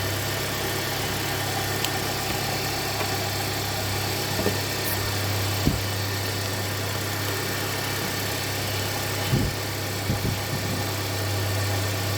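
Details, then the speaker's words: 2017 Hyundai Santa Fe Sport 2.4 with P0301 cylinder 1 misfire and suspected oil consumption, started after repair with codes cleared: steady even hum, constant low drone, no stumble or miss; normal idle. "I'm gonna get it started up now I expected to misfire a little bit and uh clear up so I get the coats cleared and should be good to go"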